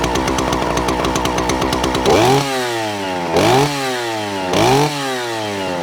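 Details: Vintage Stihl 041 Super, just over 70 cc, started cold: strong, crisp two-stroke idle snapping cleanly through three quick throttle blips and settling back evenly; healthy, normal running.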